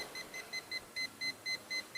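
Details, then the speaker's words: Perodua Myvi A/C system, previously replaced compressor: hydrogen leak detector gives sharp high-pitched beeps, about four to five a second, quickening as the probe nears the compressor; refrigerant leak detected there, traced to the compressor O-ring. "Sebab dari segi apa yang kami cek setakat ni, kita guna hydrogen leak detector. Detection-nya adalah di bahagian kompresor. Dia dapat detect bunyi kebocoran."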